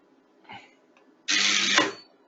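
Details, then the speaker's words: Low-voltage MCCB with thermal and magnetic trip elements, primary current injection test at about 1000 A, still in the thermal/proportional part of the curve, not a magnetic trip. Loud buzz under a second ended by a sharp clack; breaker trips cleanly. "now we are going to less than one second let's try now to 1000 ampere yeah okay it's steadily going coming down and down and down but still we are we are in the proportional section of the core okay we are not really getting a magnetic trip"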